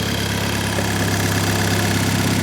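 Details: VW Mk5 GTI, first start on new basemap after hardware changes, using Audi S3 injector data: engine catches and settles into smooth even idle, steady low hum, no knocks or misses; normal idle.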